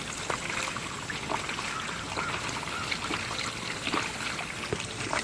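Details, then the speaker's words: Costway mini washing machine (model EP21684), used, draining after a 3-minute rinse cycle: steady trickling and gurgling of water flowing out, no pump strain or odd noises; draining normally. "And then we're going to drain that. The water's draining, as you can hear."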